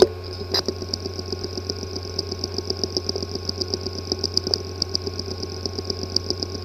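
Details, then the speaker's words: Hard drive with physically damaged disk assembly: steady whirr with sharp, regular clicks several times a second; cleanroom disk assembly repair recommended. "The following is the sound from one of the hard drive which experienced disk assembly physical damage."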